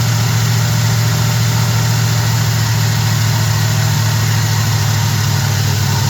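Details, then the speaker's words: Small-block Chevy V8 truck with a big cam, just after a carburetor swap fixing a poorly assembled setup, idle being adjusted by ear with no tachometer; steady, even low rumble with no misses, knocks or hunting, a smooth normal idle. "messing with the RPM idle. It ain't got a RPM gauge, but it sounds pretty good, though. Listen, you hear that? It's idling for the first time."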